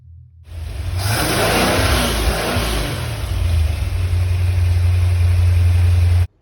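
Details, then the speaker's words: 1981 Corvette small-block V8, misfiring on arrival, compression around 200 in all cylinders, after new NGK plugs gapped at .035 (oil-leaking distributor still to be replaced): revs up and runs evenly with no stumble. Smooth running. "sounds much better what do you think"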